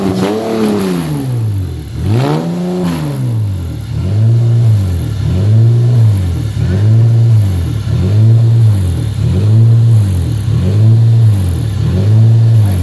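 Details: Honda 3.5 VTEC on first start-up: revs surge up and sag back steadily, roughly every second and a half, a hunting idle from a vacuum leak, since corrected.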